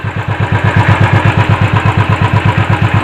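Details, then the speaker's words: Royal Enfield idling after case reassembly and oil refill to cure starter ("self") noise: steady, even thump about ten beats a second with no clatter or clutch rattle. Noise is now low. "எப்படி இருக்குது பார்த்தீங்கன்னா, noise கம்மியாக இருக்குது. Self நாய்ஸும் வராது போட்டால்."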